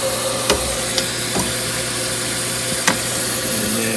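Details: Viking dishwasher running after the dual-solenoid fill valve was replaced, not yet secured to the frame: steady motor hum under water swish with loose clicks and knocks; running normally while filling, no leaks.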